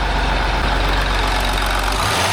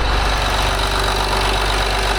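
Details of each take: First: 2008 Land Rover Discovery 3 TDV6 diesel after full engine rebuild, no noise covers fitted: idles, then rises and dips sharply on throttle release, a brief extra surge with visible engine movement; cause unclear, throttle reset hoped to fix it. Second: 2008 Land Rover Discovery 3 TDV6 diesel after rebuild, running without noise cover or injector covers: loud steady low clatter with an even rhythm, healthy idle.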